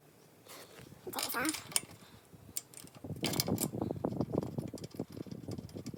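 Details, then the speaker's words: Troy-Bilt pressure washer, Briggs & Stratton engine stored over winter with fuel, varnished carburetor, water hooked up: repeated rope pulls, engine turns over and rattles but never catches; no start, carburetor later replaced. "um all right so after trying to get it started decided that it'd probably be a good idea to replace the carburetor"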